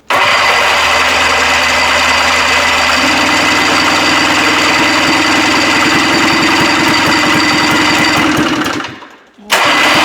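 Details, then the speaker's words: 1974 Johnson 440 snowmobile, 309 original miles, sat for decades, fuel line pinched off after flooding: catches and runs with raspy uneven two-stroke buzz, dips nearly out then recovers; badly flooded motor clearing, tons of compression. "Now that was that was pretty flooded, but okay. the zero compression. Not not a problem. It's just couldn't tug it fast enough with THE ELECTRIC START."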